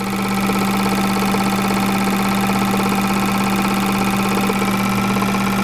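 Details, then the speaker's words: Bench flow test on the turbo K24 Civic EP3's fuel injectors: a known-good Bosch 2200 gives a strong, steady hum with rapid even ticking, while the customer's injectors, suspected not to be real 2200s, barely move fuel. "these things are like barely moving any fuel and this thing's already Off to the Races"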